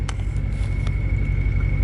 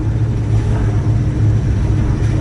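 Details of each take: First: Procharged (supercharged) Ford Mustang Mach 1 on a revised base tune, idling smoothly with a low even rumble and only a faint steady supercharger whine; wideband reading around 11 AFR, idle sounds normal. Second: Procharged Mustang Mach 1 on a revised base tune, around 2,000–2,500 rpm in first and second gear: deep jittery drone that stumbles rather than pulling cleanly, a low-rpm bog from running rich.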